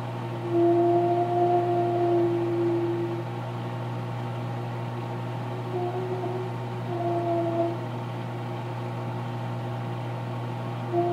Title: Popcorn in microwave make strange noise